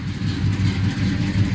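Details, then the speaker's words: 1984 Chevy C10 Silverado after an engine-bay fire, repaired: low, steady V8 idle, even burble, no misses or knocks; normal idle after repair. "so anyway I'm just really blessed really blessed but that's all that it was and it's running good we good to go so pretty happy about it"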